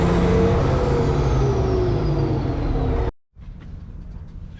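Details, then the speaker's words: Cat 657E scraper, Caterpillar C18 diesel after rebuild from oil loss via failed air compressor, no leaks: deep even roar, turbo bark clearly audible, slight pitch sag before clean shutdown; normal running. "But this one, you can really hear that turbo bark."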